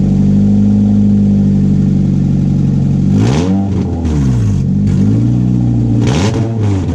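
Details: 1996 Honda Prelude Si H23A1 after engine install, in neutral, on old fuel with some vacuum lines left unconnected, owner says it leaned out. Raw open-header idle, revs stumble and break up; rough running, misfiring, cause unconfirmed.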